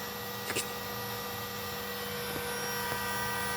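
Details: GPNI 2.2 kW 220 V three-phase ER20 800 Hz 24,000 rpm spindle on a Fuling DZB300 inverter, test run after parameter setup: smooth steady high-pitched whine at constant speed, no knocks or roughness; normal spindle running at high speed.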